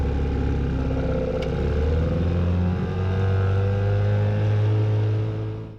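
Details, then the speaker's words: 1958 Johnson Sea Horse 3 hp two-stroke outboard in a water test tank, refired after earlier trouble: fast, even buzz holding steady, then a clean cut-off with no misfire; normal running. Owner suspects it may need adjustments or a carburetor kit. "But I let it set for a moment, and then decided to fire it up again just to see. And it seemed to run fine after that."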